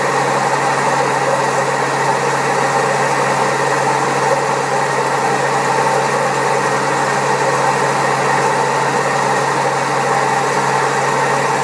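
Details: Old Servis Caress 1300 A washing machine spinning at 1300 rpm: a steady, heavy rumbling roar with a constant low hum throughout the spin from very badly worn drum bearings; the machine also has a creaky pump.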